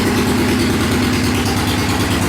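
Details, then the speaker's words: Yamaha 535 twin motorcycle after fuel filter change: even, regular pulsing idle with no misfires, knocks or surging; runs okay, normal idle. "Not a bad running little bike. Runs out okay."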